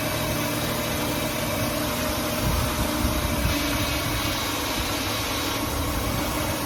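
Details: 2005 Ford Taurus after ignition coil replacement: even, steady idle with a smooth low hum and no misfire stumble or skipped beats; engine running properly.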